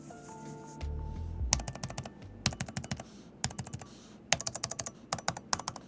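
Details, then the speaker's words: High-pitched, sharp metallic ping on every keystroke from the mechanical keyboard switch mechanism of an Alienware Area-51 gaming laptop (16"/18"), whether bottoming out or typing casually; keys themselves stable, switches ping as they bottom out. "Every time when I bought them out or if I'm just casually writing an email, there's this high-pitched pinging noise. It's sharp. It's metallic."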